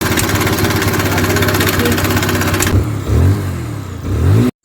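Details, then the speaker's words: 2021 TVS Apache RTR 160 BS6 motorcycle: fast metallic chatter rides over the engine note while revving and fades as revs drop; timing chain problem. "खराब शोर ऐसा हो रहा था। यह एक TVS Apache RTR 160सीसी 2021 model bike. इस तरह का शोर ऐसा होना ही था।"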